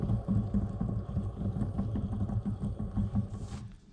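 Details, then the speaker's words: Harley clutch hub spun by hand after inner clutch hub gear teeth broke off: gritty, uneven grinding rumble with rough clicks fading as it slows; metal shavings contaminated the bearings, assembly needs rebuild. "And so that's not really a good sign. So as you can see here, some of the shavings has gone into this bearing here, so of course it jacked up all the bearings."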